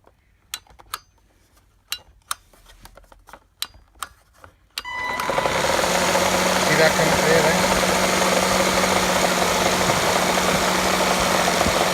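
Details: Gtech AirRam K9 cordless vacuum with temperamental switch and battery issues: switch clicks, then motor spins to steady whir with rough rumbling rattle, always present and progressively worse; suspected worn motor, unconfirmed.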